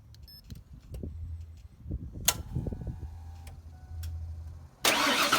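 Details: 1994 Ford Bronco with the 351W engine, started after replacing the stripped idler pulley bolt and the idler pulley: clanks and shuffling, then the engine catches with a strong, even roar. A normal start.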